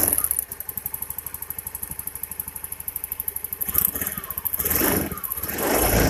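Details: Honda Beat injection scooter misfiring badly (brebet): uneven, stumbling idle with irregular pops and missed beats; spark arcs from the plug cap plastic to the engine, cap's metal clip missing so it doesn't lock, spark plug also damaged.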